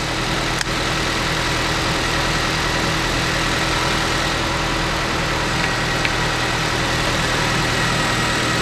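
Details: Nissan Sylphy/Bluebird after replacing the weak battery with a new 48-month-warranty battery, alternator confirmed charging: smooth, steady idle with an even whir and no misses, surges or knocks. Normal idle.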